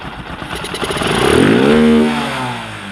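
Engine picks up from a patchy idle into one clean rev to a steady pitch and settles back; sounds like it is running properly.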